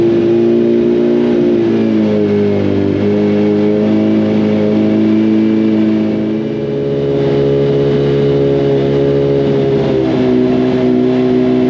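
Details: Freshly rebuilt 2006 first-gen Hayabusa engine during break-in heat cycles, fourth cycle, before dyno: smooth, even four-cylinder note rising and settling through gentle revs, no knocks or rattles, warming up healthily.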